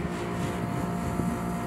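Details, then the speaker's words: 24,000 BTU 220 V split air conditioner that had a compressor failing to start with a strange noise, tested; steady low hum with the fan running, no knocking or rattles, drawing about 8.29 A. Normal compressor running. "y aquí acaba de arrancar ventilador está encendido"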